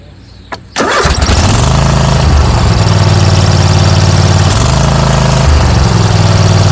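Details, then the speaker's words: Kohler 7000 Series engine on a Troy-Bilt zero-turn mower, new carburetor fitted: catches after a short crank and settles into a steady, fast, even beat; idle still a little high after turning the adjustment screw down. "I went down a little bit still seems to be a little high but"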